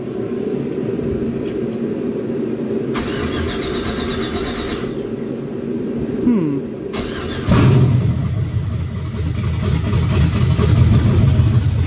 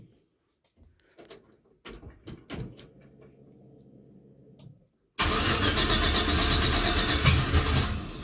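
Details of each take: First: 1966 Chevy C10 with LS swap, cold, during cooling system bleed: starter whirs, engine catches at once and settles to strong steady lumpy idle; later died when fuel pump blew off tank pickup tube. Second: 1966 Chevy C10 LS swap after fuel pump replacement and a new 225 PSI fuel injection line, with air in the fuel: quiet clicks and faint pump hum, then long loud cranking without firing; owner suspects the fuel setup is bleeding tank pressure.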